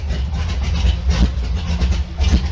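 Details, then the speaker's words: Allmand SuperNova race boat engine, idle set by ear: steady even low rumble, about 800 rpm, 60 psi oil pressure, 110–115° temperature, no knocks or surging; healthy. "so I'm not really sure where to set it at, besides just by ear. Seems to be running okay there."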